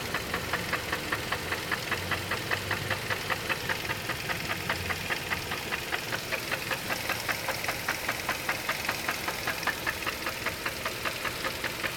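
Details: 2002 Chevrolet Cavalier at idle: sharp regular knock about two and a half times a second from inside the engine; cause undetermined.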